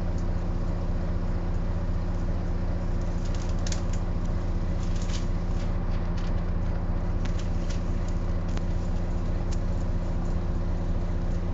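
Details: Wright Eclipse Gemini bus 37669 (X Class) while driving: steady constant-pitch hum under road rumble, gearbox whining louder than usual; gearbox whine, cause not identified.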